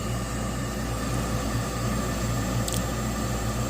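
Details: York/Diamond single-stage 80% gas furnace, no-heat call with three-blink pressure switch stuck open code; inducer motor tested, steady even hum, no grinding or rattle, draws −2.3 inches water column, runs normally.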